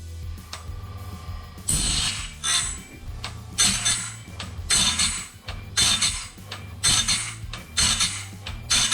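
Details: Norwood BladeMate Pro sharpener on a sawmill band blade with incorrect tooth spacing: cycles about once a second with gritty grinding bursts, some harsh and uneven. The grinding wheel strikes a misspaced tooth in the wrong spot.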